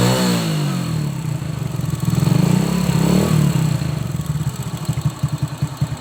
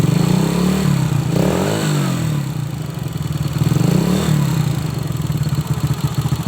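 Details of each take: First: Old Honda Supra X single-cylinder after valve clearance adjustment for clatter at the valve cover: revs then settles into an even thumping idle, only a faint tick left, possibly slightly worn valve tip or rocker. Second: Honda Supra X motorcycle, revved in swells: dry metallic clatter from the cylinder head that grows with revs, near silent at idle; the cause, valves or camshaft, is not yet known.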